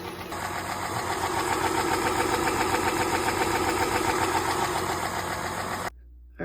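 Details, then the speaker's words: 2010 Chrysler Town and Country, 4.0L V6, before repair: loud, sharp, even ticking about 220 a minute at idle from the valvetrain lifters. "As you can hear, the lifters are making a lot of noise. So, I'm going to do lifters on it."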